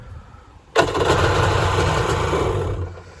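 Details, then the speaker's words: Kawasaki ZXI 1100 two-stroke jet ski in very good condition, restarted: it catches at once into a steady, even idle burble with no misses or knocks. No low-oil or other warning lights come on. "We'll fire it up one more time here. It fires right up, idle."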